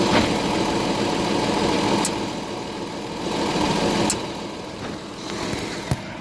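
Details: Audi A7 idling while stationary: faint uneven knock at about four per second with occasional sharper clicks, apparently from the driver-side wheel or suspension, heard only when stationary. Cause unknown.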